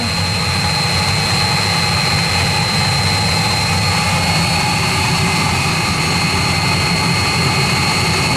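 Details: 16 kW Chinese diesel water heater, housed in a box as it is quite noisy, running after startup: loud steady roar with constant high whistle, no pulsing or misfire; burning evenly and running normally.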